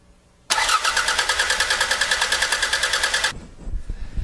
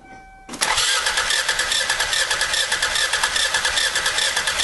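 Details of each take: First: Four-cylinder used car (about $1500) cranking with the ignition disabled as a quick substitute for a compression test; starter beats roughly three pulses a second, even and steady, so cranking compression sounds equal across cylinders. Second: Used car compression check with a spark plug loosened to simulate bad compression: starter cranks with an uneven, lopsided beat of two to three pulses a second as one cylinder leaks; low compression, a walk-away sound.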